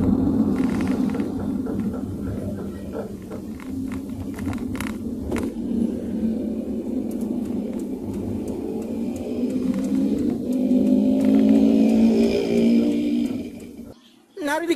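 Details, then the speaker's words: Car slowing on smooth asphalt with newly replaced, greased front pads and a normal caliper: steady tok-tok knock about four per second under road rumble from the rear; rear drum brake shoes dragging on the drum, fixed by cleaning and adjustment. "Tapos pag pinreno mo, may marinig kang tok, tok, tok, tok, gumaganon. Parang kakaibang tok, tok, tok, tok na tunog."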